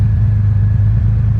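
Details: 1989 Honda Goldwing after carburetor synchronizing with vacuum gauges, gauges closely matched: smooth, even low rumble at idle, steady beat, no misses or hunting; carbs balanced and engine running cleanly.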